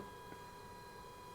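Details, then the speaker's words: 1970 Porsche 917 K race car, both fuel pump switches on before cranking: faint steady high whir of the two fuel pumps priming, no knocking or stutter; pumps running normally, fuel supply confirmed. "can hear the pumps rolling, so you know you've got the supply."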